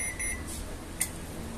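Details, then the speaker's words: LG microwave control board powered with the door-switch pins jumpered: a couple of short, high beeps on pressing start, then it falls silent and shuts off instead of running; the cause is a failed capacitor. "Bueno ahí la tenemos conectada la corriente la tarjeta Vamos ahí vamos a dar tiempo vamos a dar inicio Bueno le doy inicio y se apaga el"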